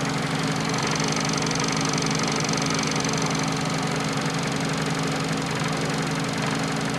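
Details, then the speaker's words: Fiat Panda 4x4 Sisley after cold start, with a failing fuel pump that needs tapping: steady even idle with light fast injector ticking on top, normal running. "yeah that's a running engine you can hear the fuel the uh sorry the injector ticking away"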